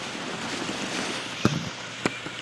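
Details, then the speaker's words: Vintage Hankscraft Vapriser humidifier, water with a couple pinches of salt added: soft steady hiss with gentle bubbling and the odd pop as it boils and vents steam; normal steam boiling. "you can hear it boiling you hear the steam coming out of it"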